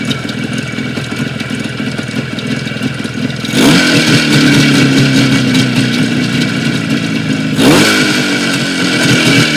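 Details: Jupiter 5 (Юпитер 5) two-stroke twin, two weeks on, idles with a clattery knock around three beats a second riding on the exhaust, then revs twice; engine knock.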